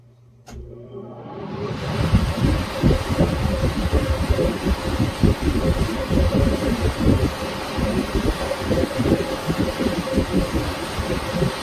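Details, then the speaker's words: First start of an ILG B-25 Universal Blower from a 1932 school, after motor preservation. It has a 5/8 hp, three-phase, 8-pole, 855 RPM motor fed through a converter. A switch click, then a steady rising air rush settling to an even roar with no knocks. Normal blower run. "This is the first start of the ILG B-25 blower, universal blower. This is a 5/8 horsepower, three-phase motor. It's an 8-pole, 855 RPM."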